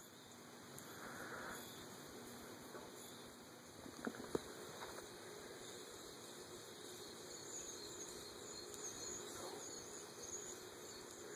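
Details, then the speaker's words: Modern Fan Co Industry ceiling fan in polished copper, running on low in reverse at 0.28 A: a faint, uneven squeak a few times a second, possibly louder in reverse, from a piece of balloon lodged in the housing. "Seems louder to me. Maybe I'm Am I imagining that or is it louder in reverse? The squeaking of balloon."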